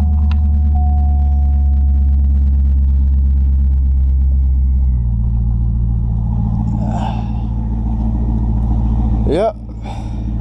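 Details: Corvette C5 V8 starting after new resistors fixed a security no-start, not driven for about a month. It catches and settles into a steady, even idle with a firm low rumble and no misses; normal start and idle.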